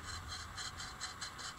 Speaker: I don't know if you can hear that but uh there's no grease inside these bearings at least one of them anyway